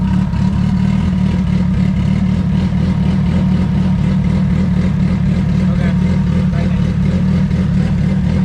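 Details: Turbo D16 Honda EF hatch, GTX3576R turbo, first start, while ignition timing is set: deep loud exhaust burble at a steady idle around 1000–1200 rpm, no stumbling. Normal idle.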